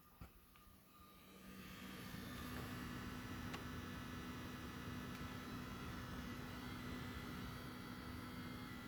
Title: ps5 buzzing noise